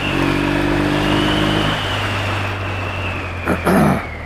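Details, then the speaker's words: Motorcycle, keeps stalling while warming up for strobe timing: low idle tone whose note falls and turns uneven, spluttering from closed to quarter throttle but fine when opened up; owner suspects carburettor needles set in the wrong slide position. "Kept stalling all the time. Still not right now. It's a bit spluttery."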